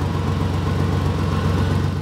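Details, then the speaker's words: Exhaust leak just ahead of the flex pipe on a 2004 Ford Ranger, mic held at the leak underneath: steady low idle with soft puffing "blump" pulse at each firing, air felt spitting out; before a temporary patch. "let me put the microphone up to that part you can just feel the air coming out of that right there"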